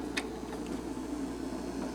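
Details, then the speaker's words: 1978 Fisher-Price children's record player, thrift-store find, switched on before restoration: sticky, rumbly turntable drive with low steady rumble and faint scratchy ticks as it spins, making quite a racket; cause unclear. "here's how you turn it on it's a pretty rumbly uh turntable this is pretty sticky"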